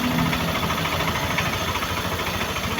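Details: Yamaha NMAX version 1 that wouldn't start and reportedly stalls, now running; mechanic suspects dust via a non-stock air cleaner reaching the MAP sensor causes stalling: steady, even idle with no stumbling or stalling; runs normally.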